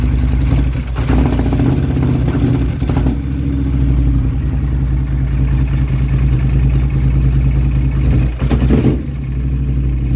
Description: 2016 Polaris Sportsman 850 extremely rough idle and no power. Backfiring through intake thought she was a goner. It was the fuel pump!